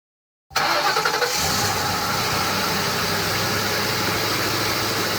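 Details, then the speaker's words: Crown Victoria P71 police interceptor, engine beyond fixing and transmission failed: cranks, catches, then a loud harsh uneven idle with rough clatter throughout, a badly worn engine. "no noise that you'll ever hear will be as bad as this next one now i want you guys to listen carefully to what a healthy crown victoria sounds like and then i want you to hear what a taking time bomb crown vic engine sounds like"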